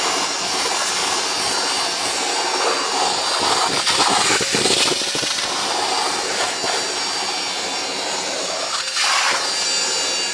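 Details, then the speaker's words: Worn wet vac used to mop up spilled coolant in a workshop: loud, airy, high-pitched howl holding steady with no low rumble; howling vacuum motor, slow but still working. "Howling motor push wet vac to the rescue. Come on."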